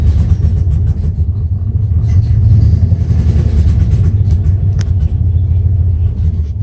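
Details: 1994 Dodge Ram 5.9L V8 with codes 37 and 51, rough idle and backfiring: deep rumble stumbling and loping unevenly with occasional sharp pops; cause was a failing crankshaft position sensor, and replacing it restored normal running.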